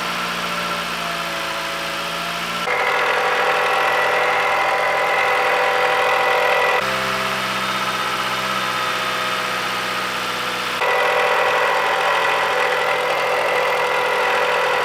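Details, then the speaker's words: 2018 Dodge Journey 2.4L running with the serpentine belt removed: smooth, even idle with a steady hum, and the earlier noise is largely gone. Engine internals sound fine, so the noise points to the accessory drive. "didn't hear the noise that much at all. That means it's not anything in the engine. It's something with the accessories and it's going to be a lot cheaper."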